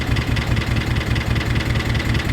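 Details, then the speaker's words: 1991 Nissan 300ZX twin turbo barn find, first start after long storage: quick, even ticking about ten times a second over a rough idle from the top end, with a clear miss; likely valvetrain noise after sitting. "okay so there is still a little bit about what it's like and it's clearly has a miss but honestly it really doesn't sound bad not terrible"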